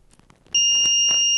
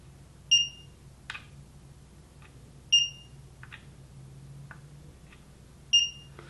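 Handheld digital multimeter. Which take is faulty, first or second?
first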